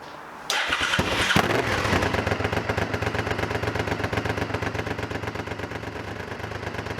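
V-twin catches immediately and settles into a steady loping beat, about four pulses a second, with no misses; healthy running.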